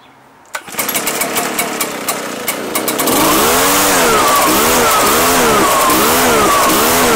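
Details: Two-year-old Echo PB-755ST two-stroke backpack blower that bogs under throttle. After starting, revs surge and sag about once a second instead of holding. The fuel smells funky, pointing to stale fuel.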